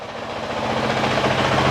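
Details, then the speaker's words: 2023 Honda CRF450X after thermostat delete (San Diego Powerhouse kit) and emissions removal, idling after 5 minutes of running: steady, even idle thump with no misses or knocks, constant low tone; sounds about the same as before, normal idle. "She smells a little different now without that emission stuff. Sounds about the same."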